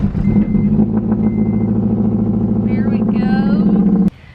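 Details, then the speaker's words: Honda Civic Wagovan D16Z6 after a cut wire to the dead cylinder was traced and repaired: rough, loud idle with an even beat, first time running on all four cylinders, sounds much better and no longer struggling. "it runs so much better now like this is the first time since i got this car that it's ran on all four cylinders so it sounds different sounds really good it rubs really easy now it doesn't sound like it's struggling"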